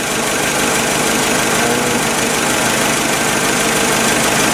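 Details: Nissan forklift engine, cam sensor already replaced for no-start, revving: loud roar stumbling unevenly, misfiring and running rough; cylinder 4 shows no spark reaction, coils 3 and 4 to be swapped to test.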